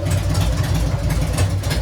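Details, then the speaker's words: Harley-Davidson Sportster 883 freshly converted to 1200 with Wiseco pistons, rings and cylinders, first-start heat cycle, about 79 degrees, 105 on pipe: deep thumping idle, fairly even beat, no knocks or ticks; runs well. "Sounds good. Sounds good. I'll take you over and let you have a look."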